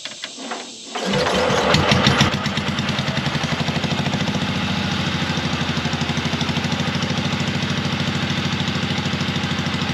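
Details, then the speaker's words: 1970s Onan RV backup generator, gas twin long unused, run without fan shroud: lumpy uneven beat skipping about three times a second, missing on one cylinder; owner pretty sure a sticking intake valve is losing compression. "as you've seen it runs pretty good but it's missing on one cylinder and I've determined that it is a uh pretty sure it's a sticking intake valve so it's losing compression"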